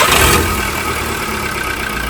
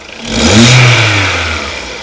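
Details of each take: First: Skoda Rapid 1.6 16V CFNA, 105 hp, bought used, cold-start test with blips; harsh, loud exhaust roar swelling on each rev, masking a knock the owner complains of; loud exhaust from cracked exhaust manifold, a known weakness. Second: Skoda Rapid 1.6 16V CFNA, warm, after exhaust manifold cracks were welded and a catalyst backpressure gauge fitted in the upper O2 port; one clean blip rising and falling back to idle, no knock or puffing; sound normalized, normal rev.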